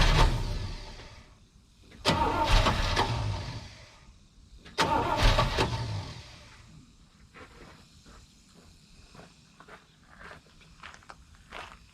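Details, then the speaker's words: 1970 Chevrolet K10 with 396 big block from a 1971 Chevelle, first start after fuel tank cleaning with bad gas still in line and float bowl filling; two cranking bursts, brief stumble, no catch: likely fuel starvation. "i cleaned that fuel tank out but i know there's still some bad gas in the line so and we're trying to get the float bowl filled and everything else too"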